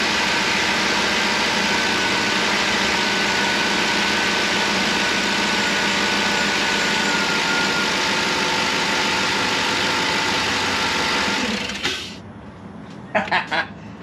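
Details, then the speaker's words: 2008 GMC Yukon V8 after a DOD/AFM delete and full engine removal and rebuild: first start runs to a strong, even idle with no ticks or knocks for about twelve seconds; engine healthy. "that turn on sounds good so obviously we did something right"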